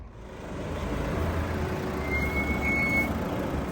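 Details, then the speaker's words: Toyota Avensis T270 D4D slowing: thin high steady brake squeal rising about a second over low rumble; caused by the anti-rattle clips, bearings ruled out. "so squeaking breaks seriously annoying there can be a number of issues for that could be the brake pads it could be the bearings it could be the brake disc"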